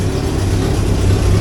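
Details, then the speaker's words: 1963 Hillman Super Minx after fuel pump repair and negative-earth voltage regulator conversion: low steady idle with even beat, no misses or knocks; charging, oil pressure okay, running smoothly. "oil's okay seems to be running I'm going to uh let it run for a little while"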